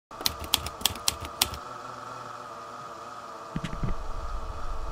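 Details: Laptop CPU cooling fan: steady thin whine during key tapping, dry fan bearing, fixed by disassembly and greasing.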